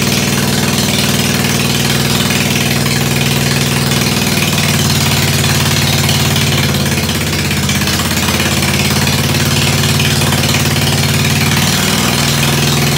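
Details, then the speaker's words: Ford 100 tractor after a tune-up, started with a shot of starter ether: steady, even idle with a smooth low drone and no knocks or misses. It is running really good, normal running. "it's running really good"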